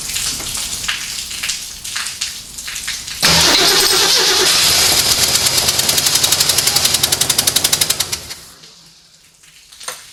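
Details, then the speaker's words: Freshly built AMC 304 V8 in a 1979 AMC AMX, first start attempt: steady starter cranking at about four beats a second for five seconds, never catching; no fuel pressure, timing also to be rechecked. "crank it over never got fuel pressure"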